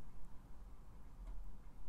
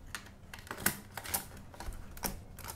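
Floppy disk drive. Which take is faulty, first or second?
first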